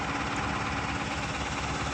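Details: Supro BS6 diesel idling steadily after a no-start fix: a faulty six-month-old replacement motor was swapped back for the original and codes moved to history. Smooth rumble, no knocks, misses or hunting, check light gone; normal idle.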